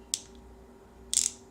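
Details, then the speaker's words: Pittsburgh Pro thumbwheel hand ratchet after disassembly and greasing: quick bursts of crisp, fine pawl clicking, far quieter than when dry, with a faint drag; lubricated ratchet that still binds slightly. "still binds a little guys they're cheap you know they buy in a little bit how much better that sounds what a difference"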